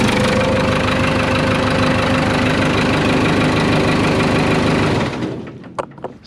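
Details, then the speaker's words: Case 580K backhoe diesel after replacing the old starter, which had been dragging and cranking slowly, especially in cold weather: the new starter cranks quickly and strongly and the engine catches straight away into a steady, even beat. Normal cranking and start. "bag has probably never started that well since i've been messing with it that old starter must have been dragging there for quite a while so this new starter from brokentractor.com worked great"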